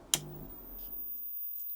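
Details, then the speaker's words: Ferguson TX90 TV/monitor after replacing the faulty 12 V regulator, which had been putting out 16 V. One switch click, then near silence with no loud hum; 19 V in, 12 V out, and a snowy picture. Fault fixed. "No loud hums. 19 volts going in, 12 volts coming out, and we got a nice snowy picture."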